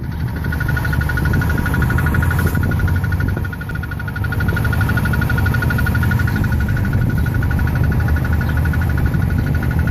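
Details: 2006 Chrysler Sebring 2.4L, 80,000 miles: fast, steady high-frequency metallic rattle from lower passenger side of engine bay, worse cold and under heavy torque, stops on restart; feels loose, cause unknown.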